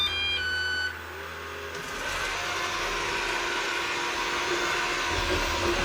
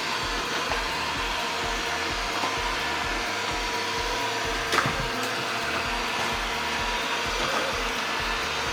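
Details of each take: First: Eufy RoboVac 11 robot vacuum, battery newly replaced: quick series of high electronic beeps with steady red light, then fan rushing; four-beep error meaning roller brush stuck, and the roller is not turning. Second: Eufy RoboVac 11 robot vacuum after fixing a stuck roller brush and fitting a new battery, a week of use later: steady, even fan and brush whir with no catching, clicking or surging; runs about 2 hours per charge, normal running.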